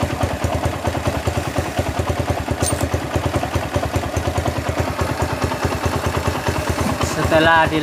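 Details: Honda GL Max single-cylinder motorcycle at idle after cam chain replacement and carburetor cleaning, valves not adjusted; an even, steady thump with no chain rattle, whereas before it was noisy and rough.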